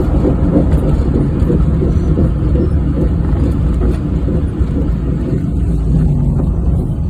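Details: 1994 Geo Metro on a short drive: steady low droning hum under road noise while cruising, from a bad wheel bearing.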